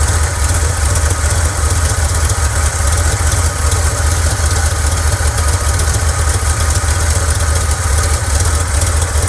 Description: This old Chevrolet truck is misfiring 7 ways from Sunday and I haven't yet tracked down root cause.